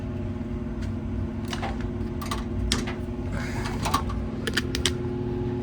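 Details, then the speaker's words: Gas furnace not heating: sharp, irregular relay clicks from the control board over a low hum while the blower never starts; 0 volts measured at the cool-high and heat-high blower terminals, pointing to a faulty control board rather than the blower motor. "You can hear that relay clicking on this board. And I want to see if we have 120 volts. This is going to tell us if our blower motor is the problem or if the board is the problem."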